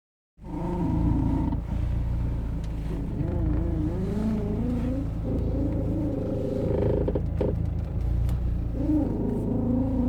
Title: B6 A4 Steering creaking noise